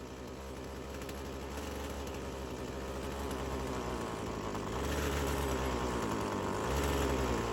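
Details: Old Craftsman chainsaw that sat for years; small two-stroke stumbles and bogs before pitch climbs and clears, with smoke; hesitation on throttle, owner unsure if clutch is hanging up.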